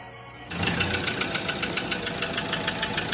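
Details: Ford Ranger diesel at steady idle: a sharp, light ticking knock, roughly three a second, rides over the idle; an engine knock with no clear cause.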